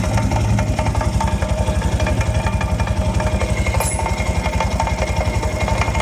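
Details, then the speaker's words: 200 cc Italika motorcycle on its stand, engine idling and rear wheel turning: rhythmic clatter about four beats a second at the front sprocket after chain was tightened; worn chain and likely worn sprocket teeth, chain replaced. "tiene un rito en la cadena muy raro el rollito lo hace aquí a la altura del piñón"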